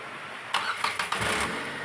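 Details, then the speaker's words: Renault Kwid, microphone under the car at start-up; customer reports the underside was hit: a few sharp knocks in the first half-second, then a steady run; knocking from the platform on start, cause not confirmed. "Start ചെയ്യുമ്പോൾ ഒരു മുട്ടുന്ന sound നമുക്ക് വീഡിയോയിൽ correct ആയിട്ട് കിട്ടുമോ എന്ന് അറിയില്ല പക്ഷെ ഒരു സൗണ്ട് കേൾക്കുന്നുണ്ട്"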